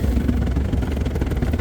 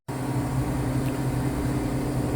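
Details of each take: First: Cornelius nugget ice machine: the agitator motor strains with low, labored churning and uneven thumps as it turns a clumped frozen block of nugget ice in the bin; an ice bin extension kit is the planned fix. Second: Cornelius nugget ice machine after installing an ice bin extension kit and repositioning the bin thermostat probe: steady low motor hum with an even tone, no labouring or struggling; ice dispenses smoothly and normally.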